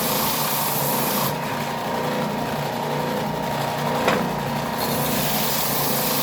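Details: New Ridgid oscillating belt/spindle sander, out of the box, sanding a piece of wood: steady, smooth motor drone with an even scratchy rasp of wood on the belt, no knocks or rattles; normal under load.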